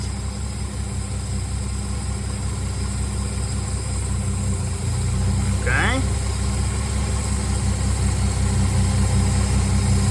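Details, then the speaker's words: '65 Dodge Dart slant six after tuning: base timing 1 degree, mixture screw about one and a half turns out, idle speed roughed in; a steady, even low idle with no stumbles or surging, much smoother; normal idle. "I think that turn and a half setting is probably about right maybe turning a quarter listen to that that's timed at one degree base it might like a couple more degrees some Slants do this is a good place to start it's much much smoother and happier"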